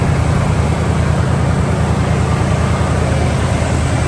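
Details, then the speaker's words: 1991 Ford F-150 Nite, 5.8 L (351) fuel-injected V8, automatic, 4x4, ignition coil recently replaced, temperature gauge reading cold: steady, deep, even idle with a low loping beat, no misses, ticks or knocks; runs good. "We'll take a listen to her and show you the lights. Runs good."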